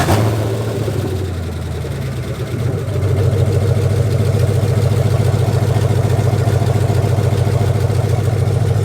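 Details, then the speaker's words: 2004 Dodge Ram Rumble Bee, swapped 6.1 HEMI V8 from 2006 SRT Charger, open headers, engine a little hot: cranks, catches with a quick rev, settles into loud even lumpy idle; running fine. "all right so we got the we got the truck up and running as you can see sounds pretty dang good"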